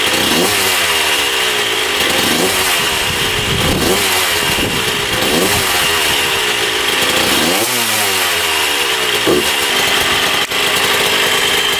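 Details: 1994 Honda CR125 two-stroke dirt bike, with a temporary gasket-maker fix on the coolant-leaking cylinder/head: buzzy revving with a sharp thin edge on rises. The owner thinks it sounds lean and needs richer jetting.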